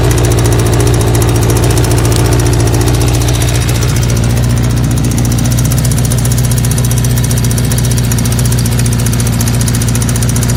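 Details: 1984 Kawasaki GPZ air-cooled sport bike, running again after newer battery, fuel line and carburetor work: uneven, stumbling idle that never settles; rough idle of unknown cause, needs a going-over.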